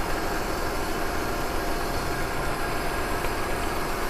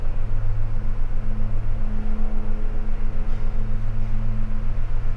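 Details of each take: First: Maruti WagonR CNG with vibration, poor pickup and P0303 misfire code: uneven, lumpy idle loping about four times a second; unplugging cylinder 3 changes nothing, so its ignition coil or spark plug is dead. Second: Maruti WagonR CNG after replacing the faulty ignition coil that caused a cylinder 3 misfire (P0303). Started and revved, it settles into a strong, even low idle with no stumbles or misses. Engine stable, fault codes cleared, MIL off.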